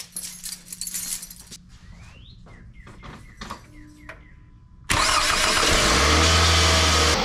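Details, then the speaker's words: 2005 Scion tC 2.4 Toyota with starter relay refitted with zip tie: key clicks and chimes, quick crank, catches at once to steady idle; normal start, though not the strongest running car. "she ain't the strongest running car but she's running started off just just great"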